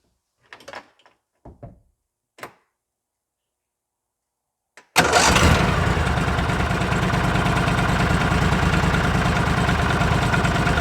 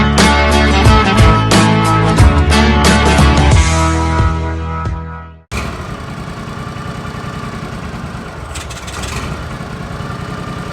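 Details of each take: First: Argo 6x6 with 16hp Briggs & Stratton V-twin after carburetor cleaning (main hole in the jet was plugged with rotten fuel): engine starts after clicks and knocks and settles into an even, steady idle with no surging; secondary clutch not moving. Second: Briggs & Stratton 16hp V-twin on an Argo 6x6, carburetor cleaned after sitting: idle speed swells and falls every few seconds, an idle surge from a plugged pilot jet.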